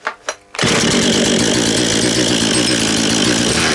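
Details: Husqvarna 236 chainsaw, restarted after choke off following reassembly by new owner (chain had stuck in a log); two quick pull-cord strokes, fires and holds steady raspy high idle, good compression, like a little dirt bike; normal start and run.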